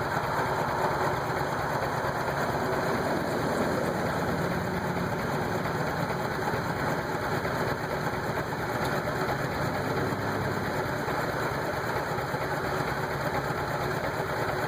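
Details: Rough idle and rough acceleration: engine idles unevenly with an irregular, lumpy beat and wavering note. Air hoses checked tight; owner suspects the MAF sensor, unconfirmed.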